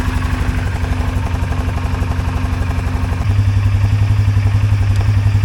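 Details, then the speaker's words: 2023 Polaris Sportsman 570 ATV after fixing a high idle near 2000 rpm (wiring harness repaired, throttle position sensor removed and refitted): steady, even thrum at about 1350–1400 rpm, no hunting, no runaway when shifted into gear; normal idle. "Okay, 1350, 1400 is where we want. You can see I can shift it and it's not gonna, doesn't run away on you when you put it in the gear. That's right with the RPMs that you want."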